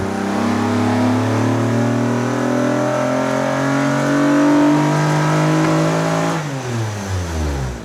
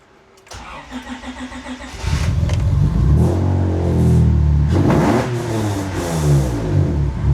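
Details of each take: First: J-swapped Acura TSX Type S (CL9) on a dyno run: engine climbs hard through a rising howl, turns rough near the top and drops back, breaking up at high RPM like a miss; air-fuel ratios fine, voltage above 12 V, owners suspect a bad coil. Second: J-swapped Acura TSX Type S (CL9) started: starter whirs briefly, engine catches and settles into a strong, even idle with blips; runs clean, no codes besides O2; normal start.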